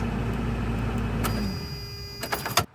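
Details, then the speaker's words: 1992 Toyota pickup 22RE after new starter replacement for intermittent starting, clutch in: even, steady low idle for a second or so with no misses or knocks before dropping away; engine running healthy, truck starts great. "Clutch in. Oh, I love the way that sounded. Oh my gosh, yes!"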